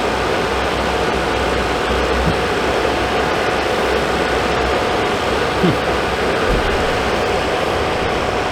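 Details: Suburban RV furnace after fitting a new Dinosaur Fan 50 Plus replacement control board: lit first try, steady rushing airflow with a faint constant hum, no clicks, rattles or surging; normal operation after repair.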